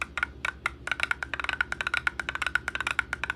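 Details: Small RC car motor, out of the vehicle, spun by hand: rapid, uneven clicking and knocking with visible shaft play; fried worn outer motor bearing, replaced.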